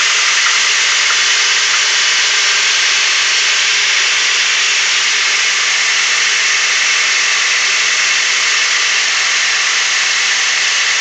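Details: 2004 Toyota Tacoma Prerunner, 2.7 L 3RZ petrol four-cylinder, about 150k miles, oil full. Harsh buzzy metallic rattle at cold-start idle that lasts longer on colder mornings and goes away once warm. Cause unknown.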